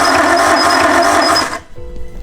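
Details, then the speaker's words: Nissan Skyline bought off Facebook, fuel pump not heard priming, starting attempted with some throttle: fast, rough, uneven crank for about 1.5 seconds without starting; sounds like a compression test with a spark plug out. Missing cylinder compression suspected, not confirmed. "yeah that sounds like a compression test to me when one of the spark plugs is out yeah it does sound like one of the spark plugs out doesn't it"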